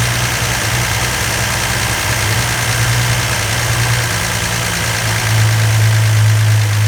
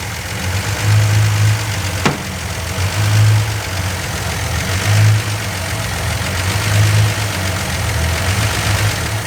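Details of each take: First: Freshly rebuilt 170 slant six in a Valiant, holding a fast idle for cam break-in: steady, even fast idle with a smooth, unbroken drone and no knocks or misses; healthy running. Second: Freshly rebuilt 170 slant six in a Valiant: idle swells and sags roughly every two seconds; engine is hunting, suspected carburetor (rebuilt twice), a vacuum leak or a faulty distributor vacuum advance.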